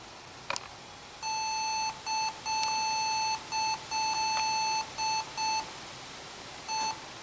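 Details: Old laptop at startup counting memory: uneven bursts of shrill beeps, a couple per second; something wrong, cause unknown, optical drive suspected.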